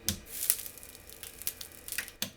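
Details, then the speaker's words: IBM G74 CRT monitor in the dark, powered on: sharp irregular snapping crackles about every half second over a quiet hum, high-voltage arcing seen on the CRT neck board, possibly on a capacitor; display judged faulty. "there is some arcing going on here I think on this cap here this is a faulty display for sure"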